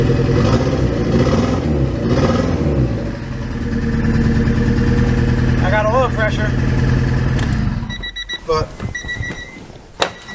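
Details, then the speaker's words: Honda Prelude after new head gaskets, check engine light on: lumpy stumbling idle from a dead cylinder, then cuts off; misfire because a fuel injector connector was left unplugged after rushed reassembly. "Oh yep that'll do it that will do it there was an injector not plugged in right there this is what happens guys when you friggin when you rush things"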